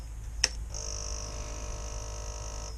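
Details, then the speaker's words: Ignition switched on after finding a failed joint in the ignition power wire: a click, then about two seconds of steady high hum that cuts off cleanly; the fuel pump primes normally. "Okay, that's good. And it will no doubt start and run."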